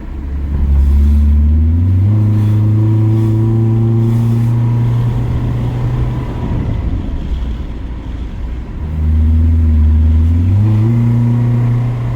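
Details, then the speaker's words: 1999 Honda Civic EK LX sedan, D16Y engine with Y8 intake manifold, floored while driving: engine pulls hard with rough metallic clanging and a slight stutter under full throttle, smells of burning oil and leaking oil; cause not confirmed. "you're gonna hear it clanging i just felt a slight stutter"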